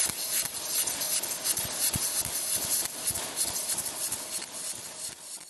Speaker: If your machine sounds like this, that's a sharp, angry sputter. Like frying chicken to hot. That means your voltage is too high, or your wire speed is too